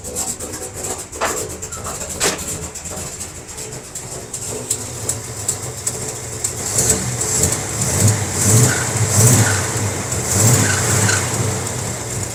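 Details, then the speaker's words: Barn-find 1957 Chevy wagon, first run after 20 years with the belt on, running the fuel pump, in an enclosed garage: ragged, surging rough idle with some mist; owner suspects it needs plugs, wires and carb adjustment. "Got a little bit of a mist, but I'm sure it needs plugs, wires. It needs some love. Some carb adjustment."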